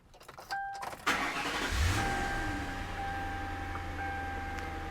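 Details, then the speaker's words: 2002 Ford Crown Victoria LX Sport after programming both PATS keys, starting on the second key; key clicks and chime, brief crank, catches at once and settles to even idle; normal start. "I've programmed both keys. Let's see if it starts."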